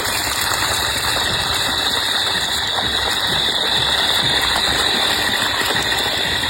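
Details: Tullu 1 hp water pump after a home repair: steady loud whirring with a fine, fast ratcheting rattle at constant speed. The motor runs normally.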